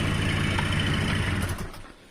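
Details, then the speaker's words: Honda Dio Fit AF-27 two-stroke scooter that would not start, after cleaning the carburettor and resoldering the choke (enricher) wires: puttering evenly at low revs, then dying away; normal running after repair. "продулось в промилось скутер прийшов в робоче состояние можна віддавати клієнту"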